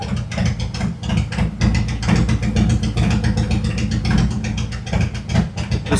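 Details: 2018 Harley-Davidson Road Glide, Milwaukee-Eight 114 that ran hot with poor mileage, after repair, Cycle-Rama CR480MT cam install and ThunderMax re-tune: loud, lumpy but steady V-twin idle with an even loping beat, no ticks or knocks; turning out really nice.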